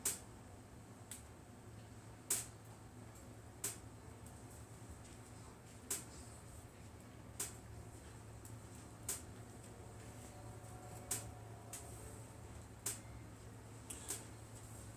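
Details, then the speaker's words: Englander NC30 wood stove heating up from cold: sharp isolated metal ticks every one to two seconds over quiet room hum, normal sound of the stove expanding as it heats. "As you sit here and watch this, as I got a little bit more experience with the stove, as you hear the tinking sound or the crackling sound in the stove, you know it's starting to heat up."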